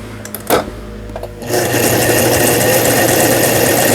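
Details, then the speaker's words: Brother Libero sewing machine, about 25 years old, after burnt motor replaced: after a few clicks it settles into a smooth, even whirr at steady stitching rate, all functions including reverse working; normal stitching. "각종 기능들 모두 잘 되네요. 후진 버튼 눌렀을 때 후진이 정상적으로 작동되면 수리가 잘 된 겁니다."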